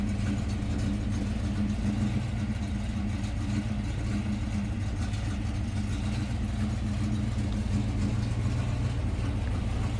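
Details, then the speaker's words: Original unrestored 1954 Ford F-800 fire truck with five-speed transmission, shortly after push-button start: low smooth V8 burble with even beat, no ticking or misfire, purring; normal idle. "The old girl fires right up. So, you have a five-speed transmission. Listen to it purr."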